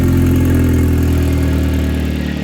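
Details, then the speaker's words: Kia Optima K5 after a year of neglect, first start after fitting a big wastegate upgrade with a dump tube: a deep, steady idle with an even low rumble and no knocks or rattles; a normal cold start. "yo I could hear the dump tube it turned on it's good so far dude I could hear the dump tube sounds good"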